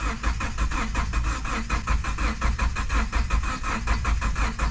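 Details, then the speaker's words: Cranking but not starting: steady starter churning at about eighty strokes a minute with no firing; owner suspects a blown head gasket, with fluid dripping. "I think it pushed the head gasket and now it won't start literally as I was cranking I started hearing"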